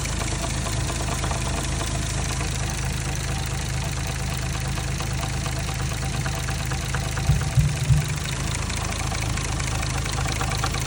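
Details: Warm 1JZ-GTE in an MK3 Supra idles evenly over an intermittent, light, uneven top-end knock, loudest at exhaust cam cap number one with a stethoscope; only occurs when warm and seems to fade with rpm.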